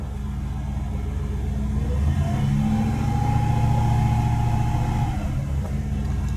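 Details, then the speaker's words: Engine restarted hot after a drive on a 95°F day, carburetor hot, running a minute or two after a hot-soak restart (owner suspects boiling fuel); steady idle rises smoothly into a held rev and drops back cleanly; normal running. "It's been running for what, a minute or two? Still doing good."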